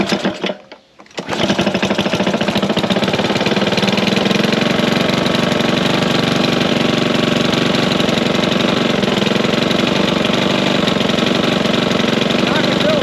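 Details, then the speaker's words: Curbside Honda push mower idling after a loose flywheel was fixed and Seafoam added, sand found in it: fast, uneven tapping about four knocks a second over the running note; knock less bad than before, cause unknown. "is does knock it doesn't sound like it was as bad as it was obviously because we fixed the flywheel flywheel was loose"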